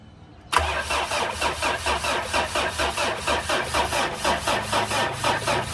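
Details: Mitsubishi Montero that won't start, apparently flood-damaged with rat-chewed wiring: starter cranks in steady pulses about twice a second for over five seconds but the engine never catches; cranks, no start, wiring suspected.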